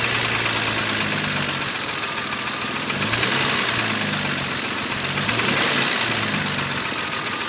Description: E36 M3 3.0 S50 engine rev sound at low revs. Knocking from around inlet manifold.